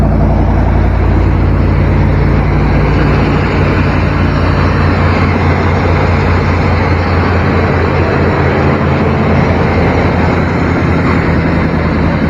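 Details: Used square-body Chevy/GMC V8 truck with a missing AC compressor, at first start during a pre-purchase check: deep, steady idle rumble with a throaty growl louder than stock. Someone has modified the exhaust.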